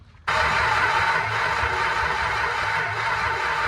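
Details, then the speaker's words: 1963 Dodge Dart convertible with a 360 V8, 21 years off the road, ignition rigged without a ballast resistor: steady cranking with no start. The owner guessed insufficient timing; spark proved good, and the carburettor was then found loose on duct tape. "I'm gonna take a wild guess. Assume, and I didn't put enough timing in it."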